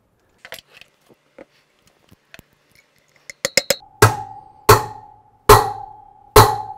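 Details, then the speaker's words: BMW R90/6 front wheel outer bearing race driven in with a bearing driver set: soft light taps, then four solid ringing hammer blows under a second apart; the solid sound shows the race is fully seated. "And we're just gonna tap this bearing into place. That's the sound we're looking for."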